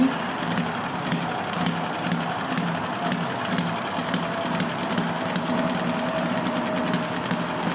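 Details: Enjomor model engine on a humid day, hard starting after a flooded, soaked plug was cleaned, stiff with original brown piston O-ring: fast, even chattering beat over a steady hum, now firing regularly; normal running.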